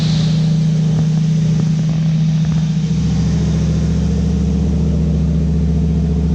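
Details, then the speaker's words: 1955 Chevy pickup V8 running, before timing-light adjustment: deep, even burble settling after a light rev blip, no knocks or misses; sounds healthy. "about a lot of work but I'm so happy to get this thing running it sounds good"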